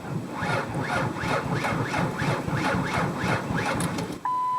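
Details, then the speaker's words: Car that won't start: sluggish, uneven starter churning about one compression stroke per second, engine never catches; owner says battery definitely sounds low, slow cranking from weak battery. "Now I think you could hear that my battery definitely sounds low."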